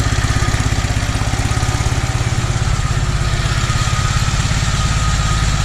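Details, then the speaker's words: Toro 2CV, just reassembled after carburettor work: even, unhurried smooth tick-over with soft regular pulse, no misses, knocks or hunting; carb seems improved though flat spot remains on throttle opening. "But doesn't she sound smooth? I think she'll tick over. That is tick over."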